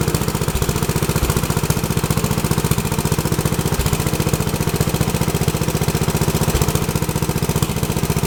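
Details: Rebuilt Troy-Bilt tiller, next day, after choke fiddling: quick, even single-cylinder beat at steady speed with no misses or stumbles; owner unsure of choke combination but it does start and runs good.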